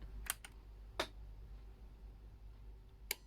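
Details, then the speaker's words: Aiwa AX-7600 power amp after socket rework and reflowing the whole board: at power-on the protection relay latches with a few sharp, single clicks in a quiet room, showing the amp works again; normal relay click. "and click there's a relay so so it does work"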